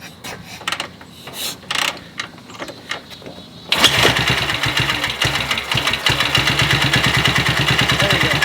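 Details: BSA Gold Star single after major engine repair, hot day, fuel checked; after some kicking it fires and settles into a crisp regular thump held on the throttle; rebuilt engine runs healthy, needs break-in miles.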